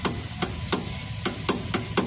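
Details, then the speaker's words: 2012 Renault Logan pulling away: sharp hollow knocks about three a second from the front steering, caused by a worn tie rod end that needs replacing. "tá vendo ó o barulho está fazendo um é isso aqui tem que trocar a ponteira tá vendo o desenho dela aqui"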